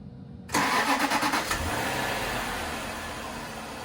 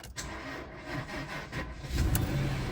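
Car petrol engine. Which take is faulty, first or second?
second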